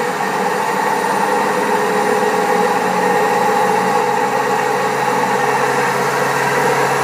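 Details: Old Servis Caress 1300 A washing machine spinning at 1300 rpm: a steady, rough droning roar from badly worn drum bearings; the pump also creaks.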